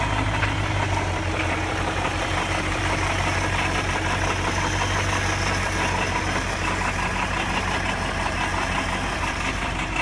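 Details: 1999 BMW 540i V8, 186,000 miles: loud irregular metallic rattle over steady idle on start-up and revving, louder from under the car than under the hood; source unknown.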